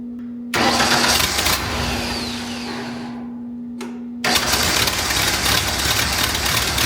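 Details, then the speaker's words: Long-sitting wood chipper engine given starter fluid, no fuel coming through: cranks, catches, runs briefly, drops away, then fires again and keeps running; the motor runs, though a little blue smoke follows. "It may have been sitting so long that there's no gas in the lines. So we'll tighten this back up. It certainly sounds like it wants to run."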